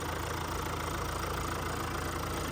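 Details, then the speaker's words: 2022 Hyundai Tucson Elite N Line AWD diesel, serviced at 15,000 and 30,000 km, heard under the bonnet: a steady, even idle with a smooth low rumble and no knocks, rattles or squeals, a healthy engine. "no knocks rattles or squirels that diesel motor ticking over nicely so we listen to it"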